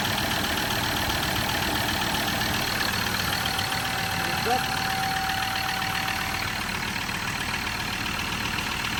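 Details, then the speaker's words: Ford Ranger 3.2L P5AT diesel, automatic, just after all injectors were replaced for humming and ticking, new injectors not yet recoded: even idle with steady clatter and hiss and no ticking; sounds healthy. "That sounds good. No ticking noise."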